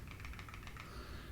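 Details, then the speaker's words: Arrma 3S 4x4 BLX RC car, after cleaning/refitting the spur gear with gear cover on: hand-spun spur gives light, quick, even clicking as it coasts and slowly fades; freely turning gear with correct mesh and slight play. "make sure the spur gear can move a tiny little bit by itself there should be a tiny bit of play you should be able to hear it clicking spinning around a bunch of rotations"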